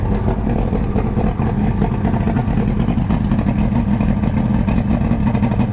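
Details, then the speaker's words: 1999 Johnson 200 hp carbureted outboard on a bass boat, cold start after sitting a while: primer bulb firmed and about quarter throttle given while cranking. It then runs as a steady, even two-stroke drone with no misfires or knocks. "usually uh giving it a little bit of gas like a quarter throttle really helps it it hasn't been run in a while"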